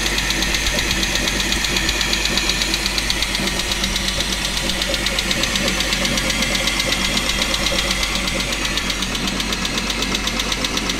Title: Chrysler 300M 3.5L knocking noise